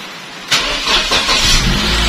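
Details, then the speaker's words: Car battery used for 5 years that had dropped to 8.2 V, revived by replacing its water and recharging: a brisk starter crank catches within a second and settles to a steady idle. Normal engine start. "Nah, alhamdulillah itu sudah berhasil."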